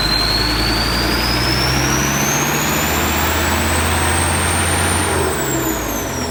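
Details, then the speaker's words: Pickup ("Max") diesel revving with a newly fitted replacement turbo, old one had broken impeller blades; exhaust pipe installed. Heavy drone with a clean whistle climbing in pitch then holding, sweeter than before: normal turbo spool. "โอเคลุยงานได้ครับมาดฐานจริงๆครับเสียงหวานกว่าเดิมอีก"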